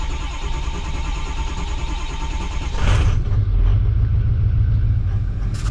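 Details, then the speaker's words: 2003–2007 Ford 6.0L Powerstroke V8 diesel with long-crank, high-pressure oil leak issue: starter cranks several seconds, then the engine catches and settles to a slightly popping, missing idle with some smoke, which is called normal. "So you can hear she's like popping a little bit, missing. You can look in the mirror, I got some smoke coming out, that's normal. Perfectly normal."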